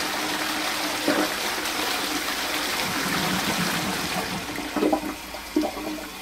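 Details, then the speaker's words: Post-1945 STOM Cardiff 146 cistern with Shanks siphonic closet, before restoration: steady unbroken hiss with a few gurgles, never shutting off; worn float valve not closing. "but as the float valve is failing i'll soon work out why it works this time you can hear his single nonstop"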